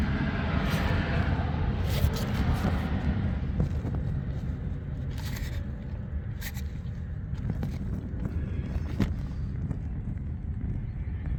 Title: Volvo T5 piston slap